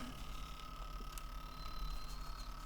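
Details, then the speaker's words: Sony Walkman with batteries, in play: motor heard whining faintly but tape mechanism not turning and feels very stiff; sender said it just needed a new belt; needs disassembly. "no and that feels really stiff it's not turning definitely got to take this one apart"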